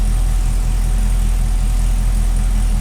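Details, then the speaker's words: 2011 Cadillac CTS-V V8 at idle just after Texas Speed long-tube headers and catted X-pipe install, stock mufflers, hood open: deep even burble, no misses or ticking; owner previously suspected a leak ticking under seat, sounds good, normal idle. "sounds good. I'm happy with that. Yeah. I've always thought it sounded like it had a leak. Anytime I like idle, I feel like I hear it tick from underneath my seat."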